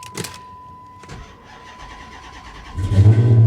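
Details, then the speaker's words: Pontiac G8 GT V8 salvage car, cold snowy day: short crank, then catches at once and settles into a strong, even idle with no knocks or misses; normal cold start. "oh nice that sounds good"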